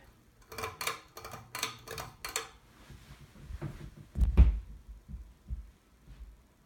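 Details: Seagull Lighting Celebrity Deluxe 52-inch ceiling fan, oil-rubbed bronze with oak blades and no light kit, running on medium: light, evenly spaced ticks about three a second, then fading. Blades are out of balance and wobbling, possibly not screwed in properly.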